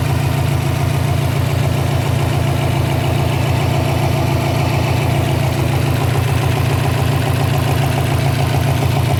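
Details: 2012 Subaru Impreza WRX flat-four at idle: steady low idle with a quick, fairly even pulsing pop about three or four times a second. Idle popping caused by a loose intake manifold.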